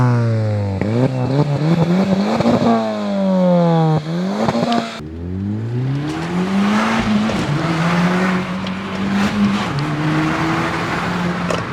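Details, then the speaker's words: Audi S3 on a road drive after repairs and fault codes cleared: strong engine note climbing through the gears with clean, quick shifts, no misfire or knock; normal acceleration. "I truly believe the car's running spot on right now. Feels absolutely perfect."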